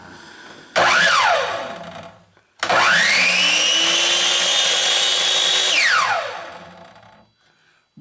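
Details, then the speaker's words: Craftsman 10-inch miter saw with an intermittent-start complaint, first power-up: motor whines to full speed almost instantly, holds steady, brakes down within about a second, normal; faulty switch later found tripping the brake circuit and replaced. "works [Music] it's taken off like a champ"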